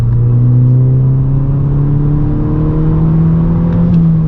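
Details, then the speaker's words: 2012 VW MK6 GTI 2.0T after replacing leaking factory diverter valve with Go Fast Bits DV+: smooth, even engine note climbing steadily in third gear under load, no whistle or flutter; turbo pulls cleanly, car no longer sluggish. "Yeah, it feels way better than yesterday. This car felt so sluggish. Feels good though. And I don't hear, you can hear the turbo, but we're not hearing that crazy like whistling sound, like that scream"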